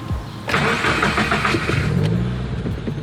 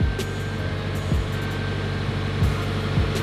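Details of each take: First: Subaru WRX on first start after DW65c fuel pump and COBB Flex Fuel kit install: starter cranks about a second, then the engine catches with a brief stutter before settling to idle; fuel pressure then reads good. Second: Subaru WRX after installing a DW65c fuel pump and COBB Flex Fuel kit, left idling until the idle came back down: a steady, even idle with no misses, knocks or surging. The Accessport showed no issues; normal idle.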